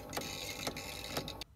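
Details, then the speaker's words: 1st-generation Wolverine Reels2Digital MovieMaker 720p belt-drive film digitizer running a full 5-inch reel as inside temperature rises from 77 to 88°F: a squeaky tick like a dry hinge about every half second over a faint whir; heat-related belt or drive trouble suspected, unconfirmed. "you can really hear that noise it's making sounds like a squeaky hinge"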